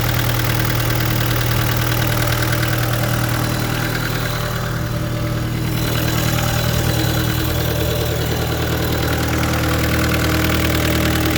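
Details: 2013 Vermeer SC602 stump grinder, rebuilt Cat 2.2 L 3024C diesel with rebuilt injection pump, 1,040 hours on meter, under an hour since rebuild: steady, even low clatter at idle, no misses or knocks; runs smoothly.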